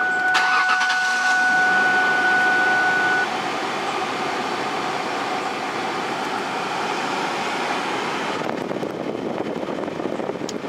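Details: Ford Taurus, 242,000 miles, after replacing corroded battery cable/terminal: short chime, engine catches quickly and settles into steady even idle, no stumbling; good start.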